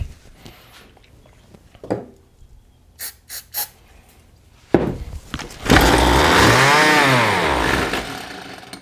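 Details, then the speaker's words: John Deere RCS400 trimmer/edger combo of unknown history, gas in the carb and a fuel leak, won't fire on choke: quiet clicks, then it catches on starting fluid, revs unevenly and dies; engine can run, fuel delivery fault, carburetor to come off. "Okay. So that tells us the engine is capable of running, but it seems like we have a fuel delivery issue, so shocker, I know, right?"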